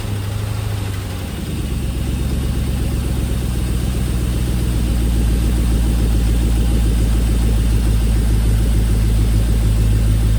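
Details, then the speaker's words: 2002 GM 5.3 V8 running on an engine stand with an aftermarket wiring harness, oil pressure about 10 psi at idle: faint light tapping over a deep idle; owner suspects low oil pressure. "much easier to hear it out of the truck because when it was in the truck you really didn't hear much you heard an intermittent tapping this thing's got low oil low oil pressure no doubt"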